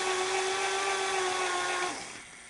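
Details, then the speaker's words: NEC VC-N70EU Beta HiFi VCR in fast forward: a steady high-pitched whine that sags in pitch and dies after about two seconds; the motor sounds strained. "um that motor doesn't sound good so"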